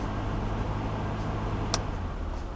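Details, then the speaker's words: Mercedes W126 300SEL AC blower on high speed: low, steady buzzing hum present on high but not on low fan speed; blower motor worn and malfunctioning. "okay. This means his blower is broken, it's malfunctioning. The older brother noticed something while test driving."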